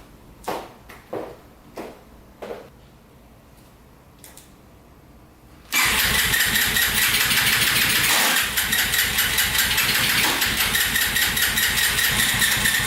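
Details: Yamaha TTR230 single, first start after oil fill and carburetor float repair: starts after a few kicks, runs with uneven pops breaking the beat; owner wondered about an exhaust leak.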